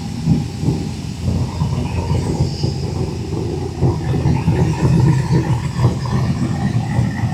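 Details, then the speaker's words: Fuel-injected El Caballero V8 started to check an oil leak from the back of both valve covers (cardboard underneath to catch drips). Deep, lumpy, even rumble with no knocks or squeals; it sounds very good and healthy, running normally. "I don't know about you, but that thing sounds so good."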